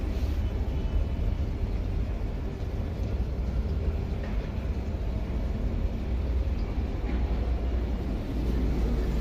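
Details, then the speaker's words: Whirlpool top-load fully automatic washing machine, latest model fitted with 18-inch shock absorbers, during spin: a heavy, steady low rumble and thumping, very loud because all the drum shock absorbers are worn out. "यह है लपल की top loading fully automatic machine problem इसमें यह थी बहुत ज्यादा आवाज करती थी स्पिनिंग के टाइम पे तो हमने इसको खोल के देखा तो इसमें शौकर पूरे इसके खराब हो चुके थे"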